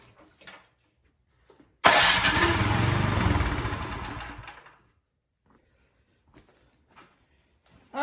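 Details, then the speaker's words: Craftsman snowblower that won't start. Spark confirmed and plug gap corrected; with starting fluid sprayed into the cylinder it catches, runs a few seconds and dies. It runs only on starting fluid, and a carburetor fuel problem is suspected. "i'm going to spray a little bit of stirring fluid right into the top of the cylinder and then we'll try to start it up see if it fires"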